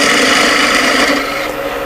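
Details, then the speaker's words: Woodturning a platter embellishment with a sharp gouge riding the bevel: smooth, even hissing rasp as fine shavings peel off, with no chatter or catches. Normal clean cut with barely any effort. "I can get a real nice cut, and I'm using barely any effort on that at all. And that's how I know that the sharp tool is doing a very good job of cutting that."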